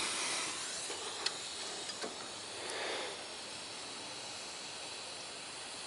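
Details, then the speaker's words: 1990 BMW E30 325i M20 engine just shut off after severe overheating: steady steam hiss and boiling from the thermostat housing bleeder valve. Water pump, fan clutch and thermostat recently replaced, radiator cleaned; owner suspects head gasket, cracked head or block; no oil-water mixing. "you can uh you can hear boiling you hear the steam coming out of the thermostat housing bleeder valve um"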